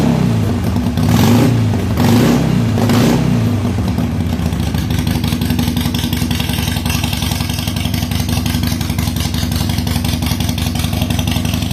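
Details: 2007 Harley-Davidson Sportster 883 Low, reassembled during a fuel pressure retest: catches after a few cranking pulses and settles into a steady, even V-twin rumble. Fuel pressure is about 60 psi (spec 55–62). Normal start.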